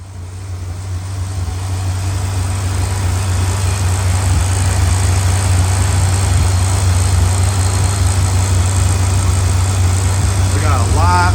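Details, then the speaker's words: 1984 Corvette 350 V8 converted from Crossfire injection to Edelbrock carburetor, mixture screws 1.5 turns out, water 200°, oil 190°: steady deep idle, mostly even with slight lope; slightly uneven idle. "I adjusted the carburetor temporarily I just did them both into that uh 1 and 1/2 turns out and it seems to be running a little bit smoother"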